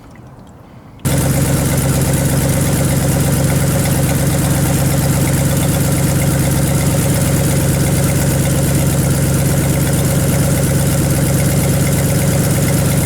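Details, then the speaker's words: 1978 Chevy Silverado 20 pickup V8, formerly seized, first run after a coolant fill with the heater core not yet hooked up. It fires and settles into a smooth, even idle while smoke burns penetrating oil off the exhaust manifolds: normal idle. "guys this thing is idling so good got fluid moving around in the radiator"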